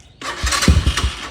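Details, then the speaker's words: Apollo DB-36 250cc (223cc) Chinese dirt bike, EGR valve removed, carb causing poor idle, in neutral: starter spins, a few ragged firing pops, then dies without catching, may need throttle; engine fires but does not catch. "Oh, let's see. Maybe I have to give it some gas. Oh, there it goes. Oh. Yeah, she's not gonna want to run right now."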